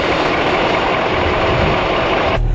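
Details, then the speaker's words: 1986 Ford dump truck diesel, first start after sitting, in neutral: steady, even idle with dense clatter, no missing beats or knocks; starts easily and runs healthy. "at all wow she runs good though"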